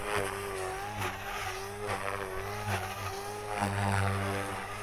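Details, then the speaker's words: RC electric helicopter with ESC governor gain (P and I) set far too high: motor whine wobbles in pitch and chirps under 3D load, RPM surging causing tail wag; RPM surging from excessive governor gain. "so you can probably hear the tail wag there that is just from the RPM changing so drastically trying to hold it in one place that the tail is just wagging"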